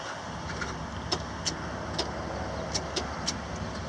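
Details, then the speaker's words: Truck with a bad starter: after earlier clicking, a few sharp irregular clicks with no cranking when the starter is tapped; it has four new batteries and a jump or pull start is expected. "I tap the starter and then now it's not doing nothing"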